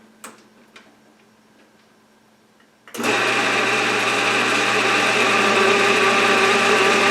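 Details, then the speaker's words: Atlas horizontal milling machine reassembled after two years apart in a shed, with gib adjusted, rewired, belts refitted and oiled, not yet fastened down. The motor starts into a steady, even whir with no knocks or grinding; runs normally. "working and sounds okay. Excellent. Sounds good."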